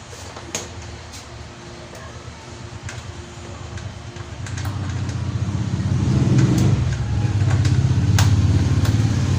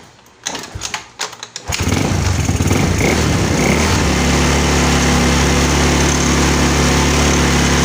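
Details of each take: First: Yamaha Mio scooter: low rhythmic chugging about three and a half beats a second that swells but never catches cleanly; hard starting. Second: Yamaha Mio scooter with a hard-starting complaint: a few throttle blips, then the engine settles into a steady, even small-engine putter with no misses or knocks; normal idle.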